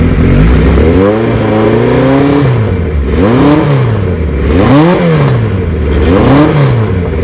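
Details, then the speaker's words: 1975 Kawasaki Z1 900 inline four, 0 miles after restoration, new battery cables, battery at 12.7 V: clean, even throttle blips up and back to idle under a loud open header, no knocks or rattles; healthy engine, no smoke. "The motor has no noise whatsoever."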